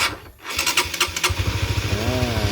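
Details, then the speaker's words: Supra GTR 150: engine runs but a high whirring continues with the idle because the electric starter stays engaged by itself even after the battery was reconnected; the starter relay is faulty and should be replaced. "Nah ini sakit lagi dia. Nah dia datar sendiri masih."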